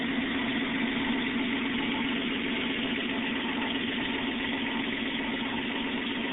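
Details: 1994 Toyota 4Runner 3.0L V6 after top-end rebuild: steady even idle hum, no knocks, ticks or hunting, constant speed; idles healthy.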